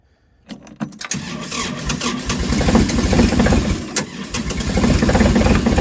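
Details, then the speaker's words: Kubota L2502 diesel tractor cold start at about -17°C/1°F after glow plugs cycled twice, throttle at full; brief cranking then steady even clatter; healthy cold start. "I'm going to put the throttle at full and we're going to fire it up see what happens we're going to Glow it again"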